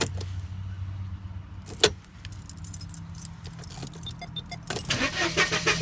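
Keys rattle, then a rapid, uneven chug of the starter turning the engine over never catches; it cranks but won't start.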